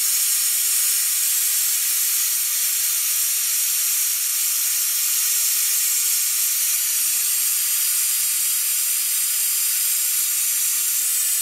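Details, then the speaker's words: Air-driven brake fluid evacuator hooked to the airline while removing fluid from a 2004 Ford F150 master cylinder: steady sharp air hiss, unchanging; normal operation. "just to show you how the evacuator works I just hook it up to your airline and use the trigger"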